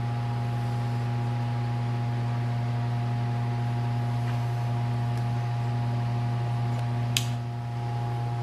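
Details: Late-1940s–50s Hunter CG-16 industrial fan, found weathered, after freeing and lubricating the oscillator mechanism: smooth steady low hum, constant pitch, no scraping or squeal; motor spinning freely and healthy.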